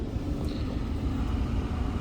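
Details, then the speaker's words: 2015 Ford Fusion 1.5 EcoBoost, P0302, power balance test at idle: rough, lumpy idle; disabling injector #2 changes nothing, so cylinder 2 misfires from a faulty injector. "So, I'm going to say the injector number two is not working, over firing, over spraying fuel, something."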